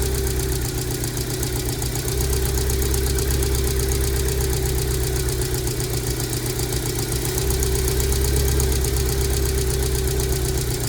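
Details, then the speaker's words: Rover 75/MG ZT 2002 (MG ZT) bought with suspected engine damage after stalling at idle with an unpleasant noise, sat a long while; check engine light on, lumpy uneven idle with irregular thump about four beats a second, clearly missing: rough idle. "it has a check engine code the check engine light is on a it's clearly it isn't running very nicely I'd say"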